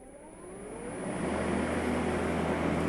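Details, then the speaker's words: Makita 36 V (2x18 V) cordless lawn mower starting after pressing red safety button and pulling handle: smooth electric whine rises over about a second, then holds an even hum; normal motor spin-up. "you have to push in on that red button and pull your handle and y'all gonna hear it when it starts winding up"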